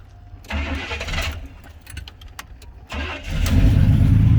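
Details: Short-bed Chevy truck's newly installed replacement engine cranking after the swap: a few seconds of steady cranking, a short pause, then it catches quickly and settles into an even, strong run. Healthy start.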